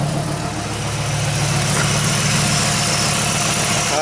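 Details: 1995 Dodge Ram V10 idling with a jumper wire fitted after diagnosing a bad internal PCM regulator: steady, even idle, smooth low pulse, no misses, knocks or hunting.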